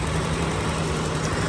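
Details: 1985 BMW 325e E30 parked four years, running after new fuel pumps, filter, crank sensors, plugs, distributor and rotor and fixed connectors; even quiet petrol idle, steady low hum, no misses, knocks or hunting, healthy.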